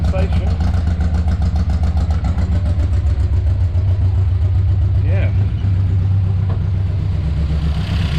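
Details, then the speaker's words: Morris Minor after draining varnish-smelling stale fuel and refilling fresh, choke all the way in: steady, even low hum without misses or stumbles as cleaner fuel reaches it, rough running earlier; normal idle. "sounds like it's picking up cleaner fuel now that's running much smoother"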